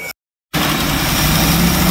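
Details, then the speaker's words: 1967 Travco 220 RV big-block Chrysler V8, parked since 1988, first start on fresh gas: after a brief dropout it settles into a steady, even idle with a smooth low rumble, no knocks or misses; oil pressure 50. "oh my God it's starts right up in Idols right Idol"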